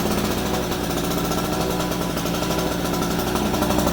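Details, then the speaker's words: Harbor Freight 800 W two-stroke portable generator just started, warming up on choke before switching to run: harsh steady fast-idle buzz, even with no misses or knocks; running healthy. "So let it run for about a minute, kind of warm itself up or two, and then we'll plug in the extension cord."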